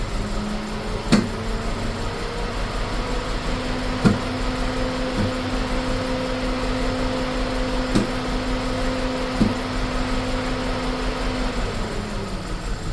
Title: bmw e46 318 rough idle and misfires. #diy #mechanic #test #autofixing #bmwe46